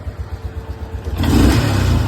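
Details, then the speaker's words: Honda 500 ES ATV with a new, freshly adjusted carb; even idle pulses, then a sharp throttle blip picking up cleanly with no bog, dive, stumble or backfire; carburetion sounds right. "No bog, no dive, no backfire."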